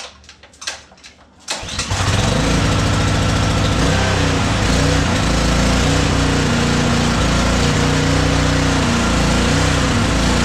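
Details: Honda GCV 190 on Simpson pressure washer, after carburetor cleaning (clogged tube) and reinstall, choke out: a few pulls, then catches and settles into steady, even run with no misses or surging; runs healthy.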